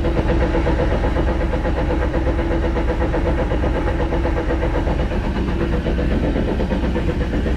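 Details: 2010 Jeep Wrangler on jack stands, in gear: steady low droning whir with a loose pulsing rhythm from rear drivetrain; rear diff gears show no metal, driveshaft no play, owner suspects bearings. Cause suspected, not confirmed.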